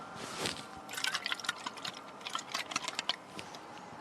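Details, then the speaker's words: Front float from a brand-new Proform carburetor on a truck, shaken by hand: faint liquid sloshing and dripping inside as it has filled with fuel, causing overflow through the vent tubes at about 5 psi despite a new needle and seat; no visible hole. "I got the front float, it's full of gas."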